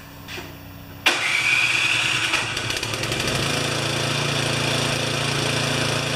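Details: Craftsman 24-inch 9 HP snowblower that would not run, after repair (weak spark, wiring issues): electric starter whirs briefly, engine catches and settles into steady even idle; starts and runs properly.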